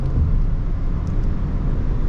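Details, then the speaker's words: 2021 Subaru Crosstrek Premium CVT, 12,248 miles, test drive in traffic through right and left turns and a hill climb: smooth, steady low road and engine rumble with no clunks, knocks or whine. Shifting correctly, nothing abnormal. "Everything is shifting correctly. As the weight shifts in the vehicle, I don't hear anything abnormal."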